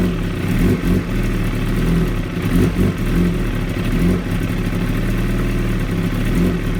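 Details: 2016 Kawasaki ZX-10R: the engine idles very roughly, with the beat stumbling and surging about once a second instead of holding a steady rhythm. Rough idle.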